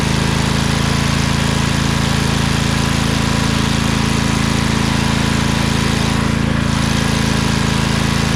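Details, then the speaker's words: Craftsman LT2000 lawn tractor repowered with a Briggs 20HP Intek V-twin, owner suspects a blown gasket. After about 10 minutes with PTO engaged under load: steady, even drone, no missing, hunting or tapping, no smoke. Compression about 100-110 on both cylinders. "so uh it runs just fine ran it for about 10 minutes even with the uh pto engaged on load"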